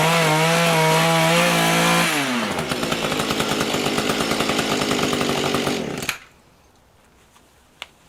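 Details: Two-stroke rototiller engine after carburetor cleaning and low/high mixture adjustment, high screw turned out a little more, tilling garden soil under load: a high steady scream that pulls hard as the tines bite, now running well.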